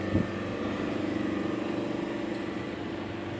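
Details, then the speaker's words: Refrigeration condensing unit (agregat) for a cold storage chamber, running after install with freon charged; steady loud mid-pitched drone, no knocking or rattling; normal running. "Tadbirkorlar agregatlarimizni yurg'izdik. Ikkini ham unisi sovitib oʻchdi bunisi ishlab turibdi agregat ishlaganda jomka h'kim kelmaydi shovqin bo'ladi chunki"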